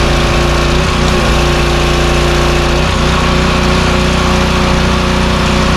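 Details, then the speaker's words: Power washer with a 4-stroke lawnmower-style engine after carburetor repair, hooked to water and spraying: a loud, steady drone holding speed under pump load without surging, and the unloader releases pressure when the trigger is released; runs normally. "It seems to be spraying well. The engine's picking up the load like it should, and the unloader is releasing the pressure when we let go of the handle."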